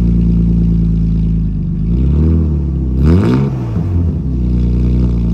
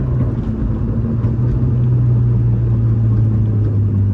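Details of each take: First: 2006 Subaru STI with a homemade custom exhaust: deep burbling note rising and falling through quick revs, clean pickup with no rattles or misses; healthy. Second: 2006 Subaru STI with a homemade exhaust, while driving: a steady low drone under the engine note, which the owner puts down to the exhaust tube; headers and a cat delete are planned.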